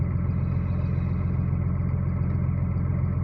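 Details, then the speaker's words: Cummins diesel after reassembly with the connecting rod small-end bushing knock repaired; steady, even idle with a smooth low thrum and no knocking or tapping; normal idle. "но никакого стука нету все замечательно"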